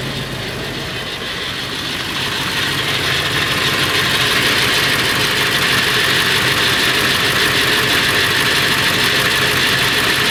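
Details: Late 1999 Ford F350, 7.3L Powerstroke diesel at idle: busy steady metallic rattle around 190 beats a minute, more pronounced under the truck; owner suspects flexplate or engine, source unconfirmed.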